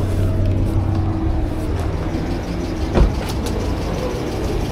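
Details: Car that would not start on gasoline, running after the fuel pump was refitted and the fuel rail re-pressurised: the engine runs on with a steady low rumble and one brief thump, no misfire or knock, normal running after the repair.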